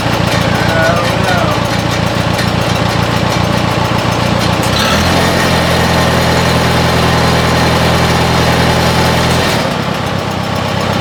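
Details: 1957 Oliver OC-3 track loader after fitting a new muffler and exhaust: steady, even idle with a low, regular beat and nothing knocking or missing; runs smooth and quieter.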